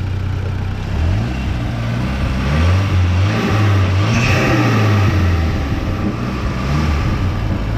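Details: Audi S3 turbo petrol engine after fitting new spark plugs and R8-style coil packs to cure a misfire: runs smoothly, revs up and settles cleanly with no stumble; normal running, no misfire.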